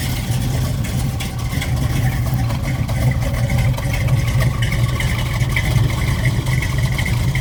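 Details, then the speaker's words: 1969 Ford Mustang Mach 1 V8 during pre-purchase inspection: starts right up, deep even burble at steady idle, no misses, knocks or smoke, not running rich or lean; normal idle. "Starts right up, sounds good."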